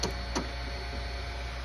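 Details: Creality Ender 3 Neo extruder gives two sharp clicks over a steady low hum, the drive slipping while struggling to push filament through the nozzle; nozzle was changed.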